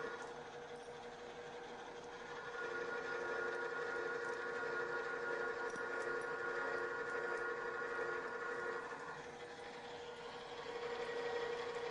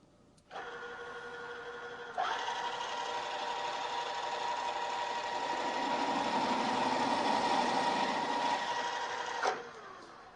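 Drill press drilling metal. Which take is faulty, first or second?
second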